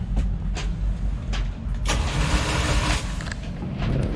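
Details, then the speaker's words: Luhrs 28 boat engine started with a little throttle: deep, uneven, lumpy throb that doesn't sound right. Cause unknown; engine running rough. "Doesn't sound right."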